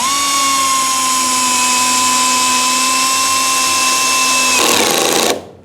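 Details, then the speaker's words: Electric drill/driver driving a screw with clutch set: steady motor whine, then brief rapid ratcheting clatter as the clutch slips at its set torque and stops driving; normal clutch operation. "so there you go you heard the clutch Eng gaug and it stopped driving the screw in so that was a pretty good setting for this length of screw and this kind of material"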